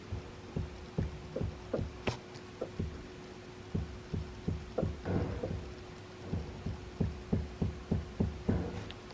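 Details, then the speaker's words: BMW M3 front suspension being pushed to replicate a clunk felt through the steering: dull, irregular low thuds about three times a second following each push; loose strut top nut, noise gone after tightening. "it's the strut so maybe it just needs nipping down"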